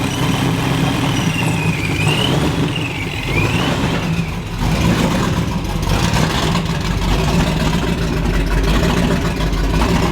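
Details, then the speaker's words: First start of Coyote V8 swap: loud open-header surging, hunting revs with whine rising and falling, lumpy and uneven; tune far off, pedal possibly stuck under the mat. "i think she runs he does he's not gonna run good because the tune's like pretty far off"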